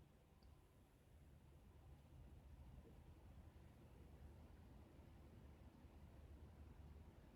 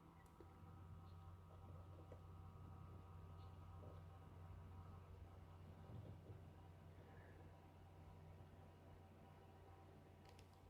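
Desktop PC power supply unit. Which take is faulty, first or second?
second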